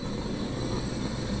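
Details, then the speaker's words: Electric water heater after flushing sediment, drain valve closed and breaker kept off: steady even rushing hiss as water refills the 50-gallon tank, no knocks or gurgles; normal refill flow. "We've got everything back up, but the water is refilling here. We do not want to turn on the breaker until the water fills up all the way. So you can hear it flowing."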